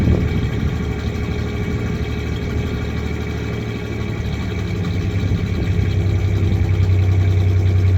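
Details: 1993 Ford Ranger 3.0 V6: steady low idle with uneven stumbling beat about three to four times a second; one cylinder misfiring, searching for which.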